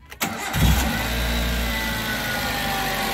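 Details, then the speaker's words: Suzuki APV after relay supply moved to the green wire so power holds while cranking; brief crank, then engine fires and rises to steady, even idle; normal start, repair done. "so Okay na umandar na yung ano natin epb"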